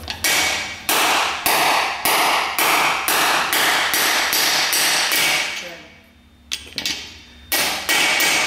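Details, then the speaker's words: 2004 Ford F-150 9.75 rear axle rebuild, driving bearing race into cleaned housing bore: sharp regular hammer blows about two a second, ringing firmer and more solid as race bottoms out; race fully seated. "you'll hear it Go solid once you once you bot them out but what we want to do to verify that we're completely seated against that that back ledge that we cleaned up earlier"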